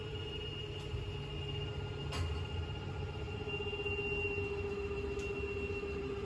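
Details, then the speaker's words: 2021 Aspen Trail 26BH travel trailer slide-out motor running on the in/out switch: an even, mid-pitched motor hum with faint rhythmic ticking. Normal operation; clicking signals full travel, when the switch should be released. "Then you have your slide switch here, so you have in and out, and that'll stop on its own when it's all the way in and out."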